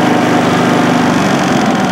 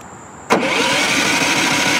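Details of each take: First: Westinghouse iGen4500 inverter generator, new out of the box, running with no load (0 kW, 124 V output, 6.5 L fuel) in efficiency/economy mode: even, steady quiet hum, no surging, misses or rattles, estimated around 55–60 decibels; normal running. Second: Brand-new Westinghouse iGen4500 inverter generator, straight out of the box, key start: the starter whirs for about two seconds and winds down without firing, with a flashing overload light; cranks but won't start.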